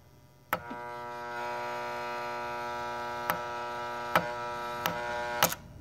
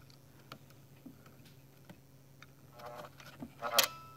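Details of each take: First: Keurig K150P solenoid valve while diagnosing a suspected faulty board: a sharp click, then a steady electrical buzz for about five seconds until a final click; the valve is sticking and hangs up before closing. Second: Keurig K150P brewer with suspected faulty board, solenoid plugged back in: light ticks and buzzing, then a crisp click as it fully closes; this solenoid is the one working well.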